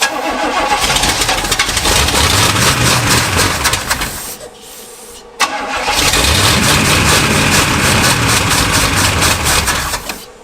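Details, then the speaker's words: Abandoned Pontiac barn find that sat 20 years, carbureted V8, with the carb bowl being filled by hand: it cranks, fires strongly on all eight, then fades and dies, repeatedly. Fuel starvation, with the bowl not filling. "That's weird. It fires strong >> and then fades out >> and then fades out time and time again no matter what I do."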